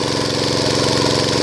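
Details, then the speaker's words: Small single-cylinder water-pump engine running on LPG fed through a hole drilled at the air-filter/carburetor intake, mixture correctly set: steady even buzz, no surging or misses; normal running. "ครับตอนนี้เครื่องเริ่มนิ่งแล้วนะครับใช้แก๊สแบบสมบูรณ์แบบแล้วนะครับ"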